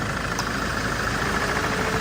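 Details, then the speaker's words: 2010 Land Rover Defender 110 2.4 TDCi idling with the aircon running: even diesel clatter with a steady fan hum, no misses or knocks. Normal idle. "2.4 TDCi motor here with the aircon running."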